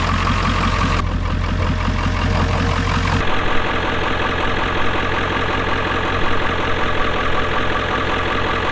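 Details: Ford 7.3 Powerstroke diesel on a cold morning (around 30s °F overnight) after glow plug relay replacement: cranks about three seconds, catches cleanly and settles into a steady, even idle; the bad relay had caused hard starting below 50 °F.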